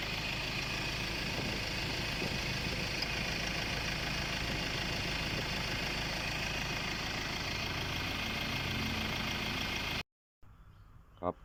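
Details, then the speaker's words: Ford Ranger 2.2 diesel after fixing black smoke, engine light and code P1103 by replacing a cracked intercooler pipe at the throttle body and the air filter: even diesel clatter at settled idle, then shut off; normal idle. "แต่ตอนนี้ผมแก้ไขไปแล้วนะครับรถขับได้เร่งได้ปกติอัตราเร่งกลับมาเหมือนเดิมนะครับ"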